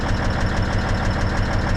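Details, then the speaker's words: Old diesel truck idling right after the valves were set, with the injectors left unset: sharp, even ticks about six a second over a steady idle. Owner suspects an injector is too tight, or possibly the compressor is out of time. "i think it sounds good other than whatever's making that ticking noise"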